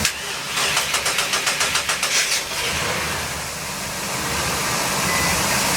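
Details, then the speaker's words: 2005 Sea Ray 340 Sundancer, twin Mercruiser 8.1 L V-drive inboards, completely cold: about two seconds of steady cranking, then catches and settles into an even, smooth idle with no knocks, ticks or extra noises; healthy. "I don't know how well you can hear it through the video but both of them run extremely smooth I don't hear any extra noises nothing and they were both completely cold when we started them up"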